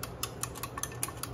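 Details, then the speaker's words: Injectors on an engine with a modified universal intake manifold, not running, driven in a test sequence after all coils were confirmed sparking: crisp, even ticks about five times a second, every injector clicking normally. "I got the injector set to uh just run a sequence and you can hear them just clicking"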